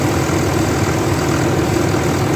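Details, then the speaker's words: 2003 Dodge Ram 3500 dually diesel idling as it starts to warm up, after a new gasket at the back corner that previously leaked oil: even, steady clatter, no knocks or stumbles; normal idle. "Wonder if it'll warm up. I'll let it run for a few minutes and see what happens."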